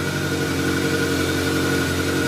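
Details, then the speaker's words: 1983 VW Rabbit GTI after clutch assembly installed, spark plugs in, building oil pressure: steady even idle, smooth hum, no knocks or misses; running good, previously sounded horrible. "it's running good"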